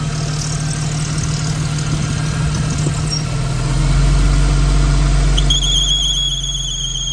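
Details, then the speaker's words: Car at idle after washing, air box removed, serpentine belt previously replaced and visibly jumping: water sprayed on the belt brings a sharp high squeal that holds; owner suspects belt tensioner, unconfirmed. "so what do you think that noise is I'm leaning I'm thinking it's the belt tensioner because it's uh the way the belt is jumping"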